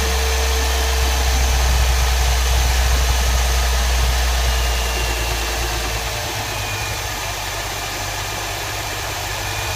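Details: 2007 Mercedes CLS 350 with the M272 engine at idle: a constant mid-pitched whirr and an even tick about three times a second; an abnormal noise the owner can't identify.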